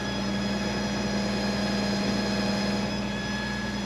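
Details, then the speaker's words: 36-year-old Toyota Land Cruiser 60 Series at high fast idle after sender cleaning, later settling to 850 rpm: steady high whine over the engine note at even pitch; owner suspects a noisy fuel pump, not confirmed. "all right the RPMs are so high all that fuel pump's making a lot of noise"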